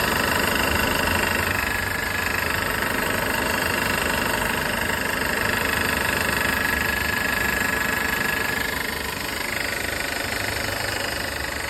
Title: W204 M271 rattling noise